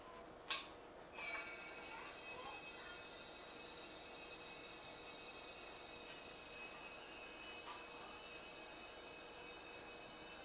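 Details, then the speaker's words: Refilling a 1 lb propane cylinder from a larger tank turned upside down via a refill adapter, small tank pre-chilled in a freezer: after a click, a steady, even high-pitched hiss runs unbroken as liquid propane flows; refill proceeding normally, running longer this time. "still going it's going a little longer this time that's probably a good sign"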